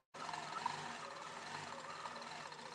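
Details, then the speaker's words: Grace Company 15Pro quilting machine at 2,000 stitches per minute: steady even whir with no knocks or catches; running normally. "it just sounds great. It's a beautiful machine, 2,000 stitches per minute."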